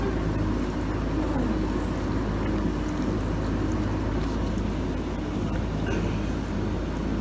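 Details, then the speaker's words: Samsung DW-ADR5061UG dishwasher running a cleaning cycle for odor, pump noise heard from the bottom: steady low hum with faint whirring pump tone and water swishing; quiet overall except the pump being a bit noisy, normal. "so this is how quiet it is while the dishwasher is running except for the pump it's still uh actually a bit noisy right now"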